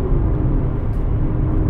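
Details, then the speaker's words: French-owned car at low revs, pulling at about 1000 rpm without needing a downshift: deep, even low rumble with no knocks, with the oil pump audible above the engine at a reasonable level; normal low-rpm running. "Donc voilà, on entend la pompe à huile et plus que le moteur, plus que quoi que ce soit d'autre. Alors ça reste à un niveau raisonnable heureusement, mais on l'entend."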